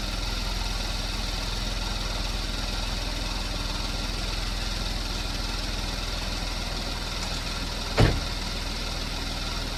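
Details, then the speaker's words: 2015 Porsche Macan, first start after timing chain replacement with BCM programmed to new keys: smooth, even low idle, no knock or rattle, one stray click. No check engine light, runs as designed; a small coolant leak was found afterwards. "so it's got a little bit of a, I wouldn't even call it a mist to it, but there's no check engine light on. Everything seems to be working as designed."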